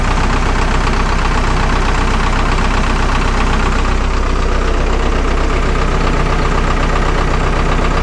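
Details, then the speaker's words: Vermeer 1800 diesel wood chipper bought at auction, first start in four years, drum engaged: loud, steady diesel idle pulsing evenly about two and a half times a second with no misses; runs healthy, feed wheels not turning despite full hydraulic oil. "but at least it does run that's a plus"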